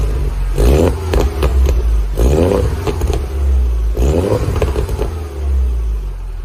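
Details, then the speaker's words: Mini R56 track car after repairing a front exhaust leak, warming up and revved: clean rising and falling revs with a deep, even exhaust note and no puffing or chuffing from the front joint. Exhaust sealed and healthy. "Right, that's it. The car's up and running. It's not blowing at the front now, so just going to warm it up a little bit, and we'll give it some licks."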